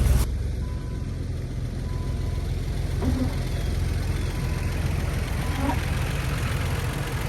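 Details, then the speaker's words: 2001 Jeep Wrangler TJ: deep, uneven, lumpy idle with an irregular beat and no steady rhythm, sounding terrible; rough-running, clearly unhealthy engine. "God, that sounds terrible."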